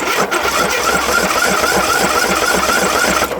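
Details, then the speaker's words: John Deere 1023 tractor (owner guesses 2005), single-cylinder Briggs 500cc engine, just started: lumpy, uneven thumping about four times a second with rattly buzz, shaking the machine; owner suspects starter catching flywheel or fuel, doubts valves. "it's making the whole thing vibrate the whole like the the uh battery here i don't know if it's getting gas"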